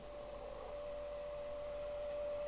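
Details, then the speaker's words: Lowe TX40 UK FM CB radio during receiver re-alignment, signal generator near 27.79125 MHz: steady musical beat note over soft hiss, showing the receive frequency is slightly off and must be nulled with delta tune at zero. "if I press transmit on the radio we have 277 9126 so just can back that off probably slightly now can you hear that musical note I'll turn the volume"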